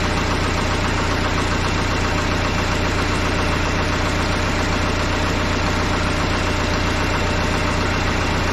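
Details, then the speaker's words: Case 188D diesel tractor engine, first fire-up after a restoration and injection pump reinstall, throttle worked by hand: steady, even clatter at idle with no misses or odd knocks. Runs smoothly; a leak was noted at the injection pump's bottom plug. "I'm pleased this punch sounds really good running good"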